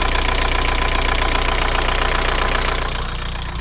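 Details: VW TDI 90hp diesel at idle: steady fast tick about three per second over the clatter, present for 5 months since a 600 km trip; lifters and injectors already replaced, oil pressure OK, different oils tried; owner suspects wrist pin play.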